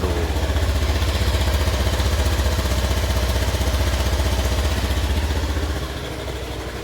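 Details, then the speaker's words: Honda Beat 2015 injection scooter with rough, gravelly idle pulsing about four beats per second; worn crankshaft bearing caused by oil running dry, signs of past oil starvation visible inside. "Kalau dari suaranya si garing-garingnya ini udah bisa dipastiin lahar krek as ya udah kebuka semua ya turun semua ini kelihatan jelas ya bekas pernah kering olinya gitu."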